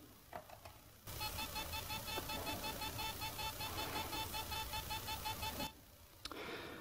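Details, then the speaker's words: Laptop hard drive, failed after 18 months of use, in external case: rapid even beeping pulses as it fails to spin up; owner believes the read/write head is stuck. "it seems that it cannot spin correctly it makes a sound like it's not spinning so I think that the head is stuck"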